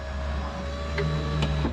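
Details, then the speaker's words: Truck with newly installed aftermarket window motor regulator, key on, engine not running: steady, even motor hum with no binding, clicking or strain as the glass travels; window works normally. "Now we're going to go back up with it. The truck isn't running, so it is going up a little slower than normal, but it will go up all the way."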